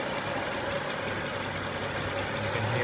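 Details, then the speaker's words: Honda Odyssey engine at idle after replacing the noisy timing belt tensioner: a quiet, even hum with no rattle or whirring from the belt area; it runs smoothly and is repaired. "after replacing it it's what you can hear very quiet she'd be good to go"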